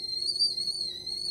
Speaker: And my water is boiling because I hear it whistling.